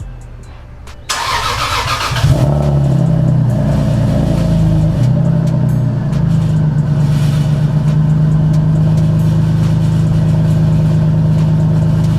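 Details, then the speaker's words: Lexus IS300 started after sitting two months: starter cranks briefly, engine catches, flares then settles to a steady even idle with no knocks or misses. "only issue I guess was getting it to started really that she sounds healthy she sounds good"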